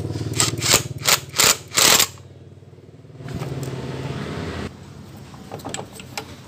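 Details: Honda Scoopy scooter after freeing a stuck drive pulley and refitting it: engine settles into a steady, even idle after a few loud clattering bursts; no rattle from the drive.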